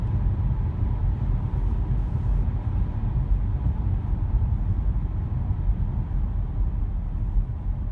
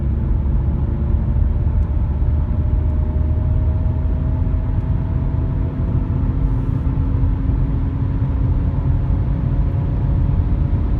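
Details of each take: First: Audi A5 B8 driving at cruising speed after the front right wheel bearing was replaced: steady low road rumble with no growl or speed-linked hum; normal wheel bearing noise. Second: Audi A5 B8 front right wheel bearing, before replacement, while driving: deep steady droning rumble with faint hum under road noise; worn front wheel bearing.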